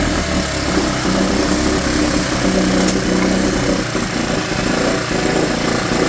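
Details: Mercury/Tohatsu 4hp four-stroke outboard in a bucket, after carb cleaning and fresh petrol for a no-start: fast, steady, even beat with no knocks or misses; normal running.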